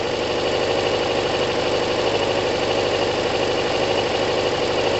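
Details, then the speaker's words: Kawasaki ZL600 four-cylinder motorcycle with new coils, tuned carbs and valves done; warming up, not even warm, coolant not yet connected, steady idle with busy mechanical patter, no knocks or misses: normal cold idle. "what a bike guys what a bike wow it's not even warm it's not even warm bloody hell"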